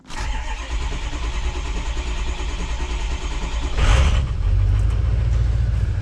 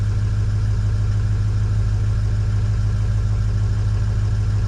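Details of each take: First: 2003-2007 Ford 6.0L Powerstroke diesel: starter churns about four seconds before catching into rough idle; suspected high-pressure oil leak, needs 500 psi injection control pressure to fire, ICP duty cycle high at idle. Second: Ford 6.0L Powerstroke diesel, suspected high-pressure oil leak with long crank, running about 5 minutes and purging air: steady loud idle with even low clatter, slight popping, no knocking; normal idle.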